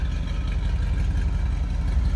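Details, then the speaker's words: 1966 Ford Thunderbird Landau, 390 V8 four-barrel with automatic, heard at the rear: low steady tailpipe rumble with an even beat, no misses or ticks; sounds healthy at idle. "390 four-barrel car so we're gonna have a little bit of rumble coming out of the tail of this car definitely sounds healthy"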